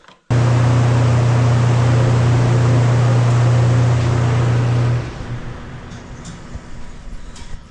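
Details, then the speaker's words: Replacement spare kiln fan motor, fitted after the old motor's rear bearing locked up: steady, clean low hum holding even for several seconds, no grinding or rumble, then spins down; runs smoothly. "we're going to turn it on and give it a test real quick go ahead there go that's much better than what it was"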